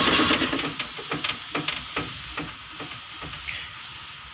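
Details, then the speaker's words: Toyota Kijang cranked via manual starter hookup during alternator wiring: steady cranking pulses about four per second with hiss, no firing; cause found as disconnected ignition coil wire. "Wah ada trouble temen-temen sebentar ternyata kabelnya lepas temen ini kabel itu sibuk ntar ya kabel inisims koil kabel english.you untuk disebut ane lepas"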